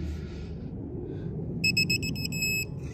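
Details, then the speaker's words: Digital torque wrench tightening Tesla Model 3 lug nuts in star pattern during tire rotation: quick repeated beeps as the nut tightens, switching to a solid tone when specified torque is reached. "can hear the audible. You don't even need to see it. It goes to the solid tone instead of the beeping."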